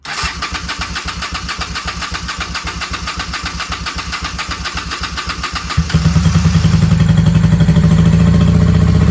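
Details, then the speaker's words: 1995 Honda Shadow VLX 600 VT600CD on auxiliary fuel supply after petcock cleaning, charged battery, carburetors just primed: lumpy uneven idle thumping about four per second, then a sharp backfire pop and surge to higher droning speed; rough running, cause unclear. "I don't think she's running right like she was. Strange. She had that backfire and then she revved up."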